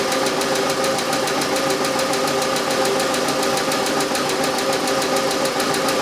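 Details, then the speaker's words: Car that sits most of the time, at idle before Rislone engine treatment is poured in while running: a fast, light, steady ticking over the idle with no pitch change. Owner attributes it to a sticking hydraulic lifter. "because the car sits now it has the Bell lifter noise you know tapping sound from a lifter"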